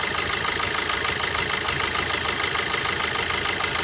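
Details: Diesel car with injector four cut through a scanner. The idle turns uneven and shaky with a regular stumble about three times a second because that cylinder is dead.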